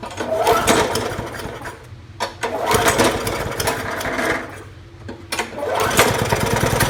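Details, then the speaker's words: 2012 Murray 20-inch mower, Briggs & Stratton Classic 300 series, after unseizing and carb spray: engine surges and sags every couple of seconds. Uneven running from a carburetor/governor spring found bent backwards by tampering. "This was the carburetor spring. I don't know if you can see it. That's not right. Someone's been monkeying with it."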